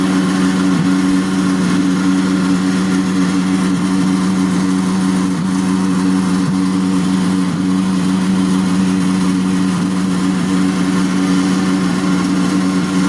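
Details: Frigidaire dishwasher: steady, deep, loud hum with no pitch change throughout; the motor drones far louder than it should.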